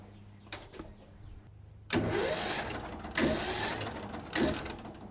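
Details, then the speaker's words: Second-hand mini NASCAR go-kart engine, previously seized and freed by hand, with new plugs, new battery, good spark and a cleaned gas tank. Three cranking bursts about a second apart, each dying without firing; turns freely but doesn't start. "All right, everything's clean. It turns over. There's gas."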